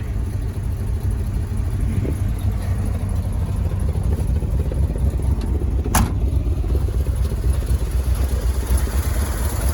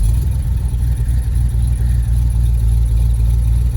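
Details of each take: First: 1971 Ford F250 Highboy V8 after a cold start in snow: a deep, uneven, loping idle, normal for its new performance cam. The manual-choke high idle is not set right, with a slight exhaust donut leak. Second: 1971 Ford F250 Highboy V8 cold start in snow: raised, slightly uneven idle as the manual choke high-idle is set incorrectly; also usual exhaust leak at the donut gaskets.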